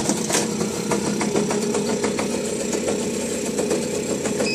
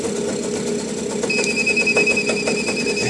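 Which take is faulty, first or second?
second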